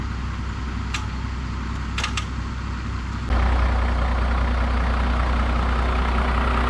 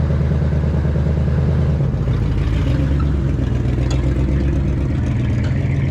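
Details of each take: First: 2016 Ford 6.7 Powerstroke diesel, wrecked and sitting outside for months, jump-started from another truck: after a quiet background it catches at once and settles into a steady, even diesel idle. Starts and runs normally. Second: 1967 rig, over 50 years old, started on full choke and running on old bad gas. Low, lumpy, uneven idle with some clatter. Running rough.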